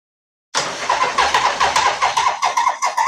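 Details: 1980 Harley-Davidson Shovelhead with refitted carb and new battery cables: strong, even electric-starter cranking at about two and a half compressions a second with no clicking or dragging; the new cables fixed the start problem, normal cranking.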